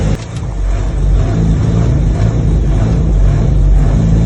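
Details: 1954 Austin A30 barn find, laid up since 1971 and previously seized, running after a fuel-delivery fix: old four-cylinder runs steadily with a low, even thrum and a slight rise in revs, no misses or knocks; normal running.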